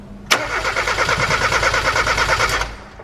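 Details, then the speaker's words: Turbocharged NA Mazda MX-5 Miata engine cranking without firing after turbo install, about three strokes a second, with a faint metallic contact knock on the first crank; owner suspects the exhaust hitting something. "No, I just heard like metal contact. Like for the first crank, it would like do, right. but then it would go away."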